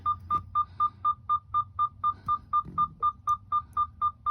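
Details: 2021 Freightliner Cascadia, 79,747 miles: rapid steady high beeps and low air brake message after parking brake release despite full tanks, from a failed blue-marked sensor under the dash behind the accelerator pedal.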